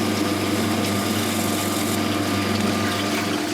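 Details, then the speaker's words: Simpson Mini-Matic washer on its spin cycle, the motor shifted to engage the belt for pump and spin together: steady, even hum with smooth pump whir and water draining; normal operation. "Okay, yeah, we're pumping water out. Pumping in and spinning at the same time. So it moves to engage the pump as well as the spin, so yeah."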